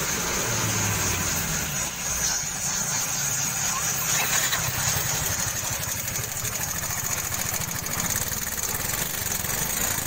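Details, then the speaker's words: Yamaha Mio 125 scooter idling with a fast, light sewing-machine ticking from the valves due to excessive valve clearance, before valve adjustment. "Pasien ini keluhannya bunyi di bagian klep bro ya, dan bunyi ngelitik ya bro."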